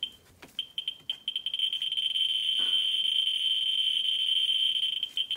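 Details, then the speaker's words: Ludlum 14C with a Ludlum 44-3 gamma scintillator beside a vial of thorium dioxide on the x100 scale: rapid high chirps that quickly run together into an almost steady shrill buzz, a hot sample reading around 8,000–9,000 counts per minute. "I was sitting around eight to nine thousand pounds per minute"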